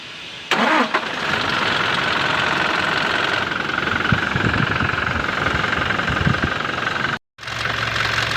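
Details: Toyota Hilux 2GD diesel, cold first start (noise only on first start of the day): cranks, catches and idles with sharp, irregular knocking over the rattle; cause not yet found.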